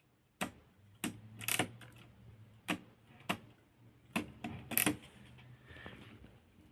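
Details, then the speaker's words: Consul 1511 portable typewriter after bending the platen detent roller back into place: crisp separate clicks, about a dozen in seven seconds, one per line as platen turns; line-spacing ratchet now works normally. "now when we pull the carriage return lever it makes that wonderful clicking sound and we can divide each turn of the platin by the width of one line"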